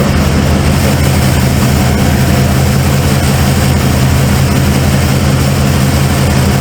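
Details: Cold start of a 1995 Ford F-150 V8 barn find: a deep droning idle with a lumpy, uneven beat. The owner suspected plug wires or firing order, and a passenger-side plug was gas-fouled. One cylinder drops out.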